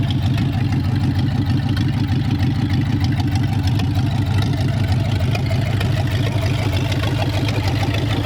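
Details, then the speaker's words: 1932 Roadster V8, newly installed, started with the original 1932 ignition switch and push button, carburettors only roughly set: deep, steady burble at idle with an even low rumble, no knocks or misses. Normal idle. "so you flip this on for ignition starts right up"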